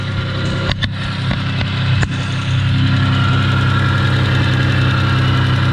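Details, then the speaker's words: 1992 Dodge Stealth RT (3000GT) 6G72, first run after reinstalling a repaired ECU, oil not changed: loud droning idle with idle RPM too high and a faint steady whirring over it; suspected noisy bearing. "that motor's running I didn't oil change you hear that audible noise that sounds horrible"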